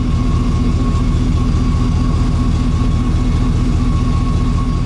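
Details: 2006 Ford F-150 with electronic returnless fuel system and intermittent low power/lean condition, PWM fuel pump under stress test: constant thin whine over droning idle; pump or pump control module suspected, not confirmed.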